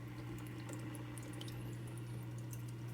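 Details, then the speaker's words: Top Fin hang-on-back aquarium filter rated to 30 gallons, mic placed beside it: steady low hum with a higher tone and water trickling over the top; runs louder than the Aquaclear, cause unclear. "And I don't know if you can hear, I'll shut up for a second so you can hear the sound, but this top fin is kind of loud."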